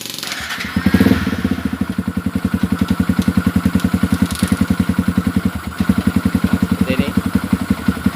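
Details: Yamaha Xabre motorcycle at idle, AFR above 16:1: single-cylinder idle pulsing unevenly and hiccuping, dies on throttle; lean fuel supply suspected from weak pump, dirty filter or injector.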